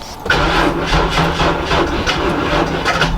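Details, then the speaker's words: BMW E34 wagon cranking after new Kenso 340 LPH fuel pump install, fuel pump not heard priming, battery may be weak: starter turns over evenly for about three seconds but never fires; crank no-start. "I'm not hearing the magical vroom vroom. It also sounds like my battery is. That did sound like your battery is dead, but why is it not going?"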